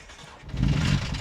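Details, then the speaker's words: Knight Rider 2000 screen-used movie car, sitting abandoned about 10 years: after cranking, starter fluid is put in the intake and the engine suddenly catches with a rough roar for about a second; engine fires on starting fluid. "Let's try putting some starter fluid in the intake and see what happens. I swear I'm gonna poop a brick if this thing starts."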